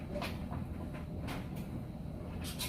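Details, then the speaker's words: Samsung electric dryer running a normal, more-dry cycle with a load. A steady low hum with soft uneven thuds as the clothes tumble, no squeal, scrape or banging, and no vibration. It runs normally. "I just wanted you to be able to hear that it sounds great no weird noises or anything like that and and that it's nice and stable no vibration in it whatsoever"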